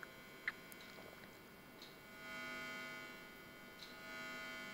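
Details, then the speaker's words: Rebuilt organ tube amplifier powered up: low steady hum under faint handling clicks, worse at higher voltage; filaments suspected but not confirmed, amp otherwise working with no leakage. "oh my god it hums a lot like i said it's most likely due to and it gets worse with higher voltage this sounds like filament more than anything"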